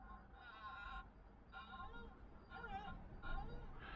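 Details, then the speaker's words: Hyundai iLoad/H1 van with cooling problems and a little lost coolant. Water pump turned by hand with the engine off. About five short warbling bird-like squeals, one per turn, which shouldn't happen; pump to be removed: water pump squeal. "No, it shouldn't sound like that. So, unfortunately, that's coming off."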